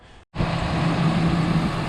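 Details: Ford 4.6L/5.4L/6.8L V8 warming up after a blown-out spark plug was repaired with a thread insert: steady, even low rumble with no misses, knocks or ticks; normal idle.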